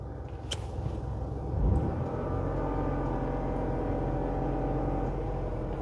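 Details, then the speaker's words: Dacia Jogger cabin, fan turned down: low steady drone swells in when the AC compressor engages, resonating inside the car, not audible outside; owner unsure whether fault or normal for the model. "It sounds absolutely horrendous, the aircon compressor, and I don't know if that's a fault on this car or if that's how they are. You can't hear it outside the car."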